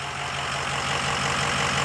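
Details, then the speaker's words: 2005 Ford F-250 6.0 Powerstroke diesel after installing an AFE Momentum dry-filter cold air intake, MBRP exhaust: even, steady idle clatter with no misses, knocks or surging; sounds no different than before and sounds good, running healthy. "So let's fire it up. Let's see what we got. Don't really sound any different here."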